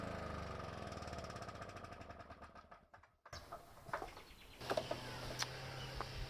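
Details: Victa two-stroke lawn mower after pre-season service, fuel on, about 7 primes, started: pops along fast and even for a few seconds then drops away, no misfire; normal running.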